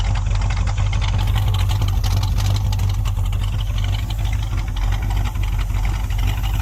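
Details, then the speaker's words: 1972 Chevy C10 crate 350 V8 that had sat for 8+ years, first run with a new coil. Deep idle with a slight uneven lope, no knock, no lifter tick and no smoke; a healthy normal idle with a mild cam. "no knocking no smoke man it just fired right up lifters not making any racket sound like it's got a cam I'm excited about that"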